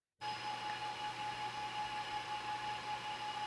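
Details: Siboor Voron Trident 350 AWD kit 3D printer: loud, steady whoosh of air with a clear high whine from small cooling fans spinning very fast, loud cooling fan noise. Original fans broke within days and were replaced free.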